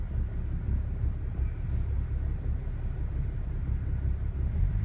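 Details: BMW E60 535i after a cold start: low, uneven idle rumble with irregular pulsing and shake, no steady rhythm. Rough idle, cause not yet known.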